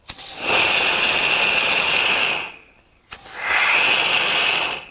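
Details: Porsche 911 Turbo 997.2 boost leak test: two sustained high-pitched hisses of escaping air as pressure increases; boost bleeding past a blow-off valve plug that opens too easily.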